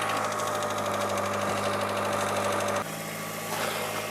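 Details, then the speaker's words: Hydraulic lifter loudly tapping at idle, a fast loose tick about three per second over the engine; the Suprotec Active Regular oil additive is being added to try to quiet it. Noisy hydraulic lifter. "проблемы здесь следующим очень сильно стучит гидрокомпенсатор"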